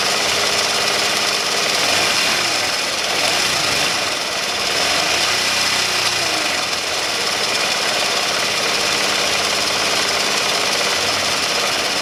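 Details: Honda Elite 80 (CH80) scooter after top-end rebuild, first start on a totally cold engine at 32°F: small engine buzzing hard, rising and falling with throttle, rough but steady, no knocking; normal running.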